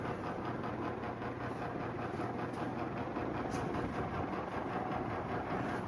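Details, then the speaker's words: Antique Hunter R-36 "Original" 36-inch ceiling fan, possibly up to 90 years old, running at speed: a smooth, even whoosh of steady airflow with a soft, regular motor hum and no rubbing, clicking or wobble; normal healthy running. "Yeah, 100 years later, still running great."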